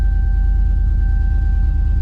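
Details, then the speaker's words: GMC Yukon V8 at idle before repairs: uneven, lumpy rumble with irregular stumbles, sounds terrible; scan shows hundreds of misfires on cylinder 8 (rear), some on cylinder 1. "we're gonna watch for misfires oh my gosh c cylinder eight look at that ten of them so it's the very back cylinder"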